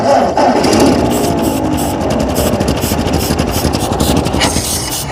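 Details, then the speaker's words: Ford 8N tractor (6V) abandoned for 8 years, started on ether: runs ragged and lumpy with an uneven stumbling beat, seemingly on two or three cylinders; misfire. "it's running I only think it's running on like two or three cylinders but oh there she goes"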